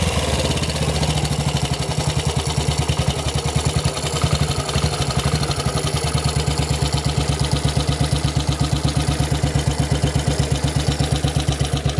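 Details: Model 8 engine: sharp, rapid ticking knock pulsing through the low engine beat at idle, more noticeable when riding at about 40 mph and above; mechanical knock of unknown origin.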